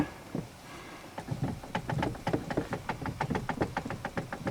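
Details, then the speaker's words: Chevy HHR, steering wheel turned: sharp knocks about five times a second from worn intermediate steering shaft (u-joint shaft between column and rack and pinion), the noise to be fixed by replacing the shaft. "that noise I'm trying to get rid of"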